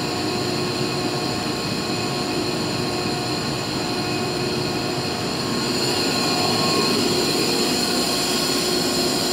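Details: Used 2005 Boge 40 HP variable-speed-drive compressor, 480 V, 79,131 run hours, 1,909 loaded hours, ramping to max rpm building pressure, about 68–70 dBA: steady high-pitched whine with constant roar climbing slightly; normal loaded full-speed running.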